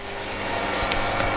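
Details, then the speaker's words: Lay-Z-Spa Palm Springs Airjet (Bestway) hot tub filter pump running after the pump water leak repair: constant low hum with rushing water and no rattle or surging; good flow. "looking in we're getting a good flow of water so the pump is working well"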